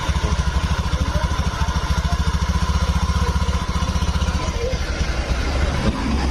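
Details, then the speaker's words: Honda Beat scooter started after fixing a no-start: idle pulses uneven and fades, stalling repeatedly; the throttle body idle air screw appears set too far out. "untuk stasionernya bisa teman-teman dengarkan nih ini kadang-kadang mati tuh langsungnya tuh mati mati ini"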